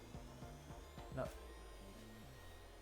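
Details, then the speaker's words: Alfawise U20 3D printer after fitting TL-Smoother modules and stepper dampers, recorded during a leveling test: soft, short stepping tones that jump in pitch with each move over a faint cooling-fan hum; motion noise is almost entirely gone, with only ventilation audible. "On n'entend rien. On n'entend rien. C'est vrai qu'on entend Ah, c'est vraiment que la ventilation. C'est incroyable."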